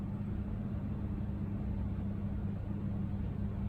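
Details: Cooling-only Honeywell fan coil AC in a Dubai tower, running after its T6574A thermostat was replaced with a T6861: an even low hum with a steady tone and no rattle, scrape or surging. The fan runs normally.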